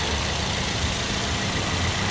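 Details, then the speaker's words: 2009 Toyota Yaris E used-car check, engine idling with AC off: even, steady idle with no misses, ticks or surging, not perfectly smooth but normal; normal idle. "Kalau diperhatikan di mobil gue ini, suaranya masih normal, walaupun nggak terlalu halus banget, tapi masih normal."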